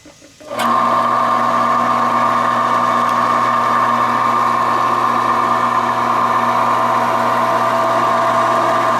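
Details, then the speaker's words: Reliant 10-inch benchtop mini lathe, belt-driven with four speeds: after switch-on it settles into a smooth, even hum with a steady mid tone, no knocking or grinding; bearings and motor sound healthy. "and as you can hear it's not uh it's in good shape it's not noisy bearings and the motor seem pretty sound"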